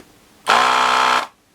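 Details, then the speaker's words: Gaojie S-998P 220 V 100 W desoldering gun vacuum pump after clearing a clog in the solder tube, probably caused by not holding the trigger long enough: short, clean, steady buzzing burst; suction working normally again. "That's better. And it's almost coming. There we go, that's out."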